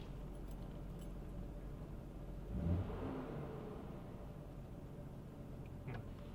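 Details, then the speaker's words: Jeep with check engine light, idling in neutral after the spark plugs were cleaned: quiet, low, uneven idle with an irregular shake and a stutter that is worse when loaded in gear. Rough idle persists; cause still unknown. "it still seems to run kind of rough that's neutral try picked a neutral first I don't know if you can hear that on the camera but it's got a little bit of a stutter to it especially when it's loaded up in gear"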